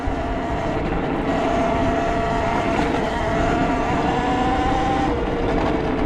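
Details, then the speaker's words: Talaria MX5 electric dirt bike on single track, half throttle around 20–25 mph, hand holding the battery cover: smooth quiet motor whine with tyre and trail noise, no rattle; the rattle came from a loose lid on the battery. "Listen how quiet and pleasant that is. Oh man, you can't beat it."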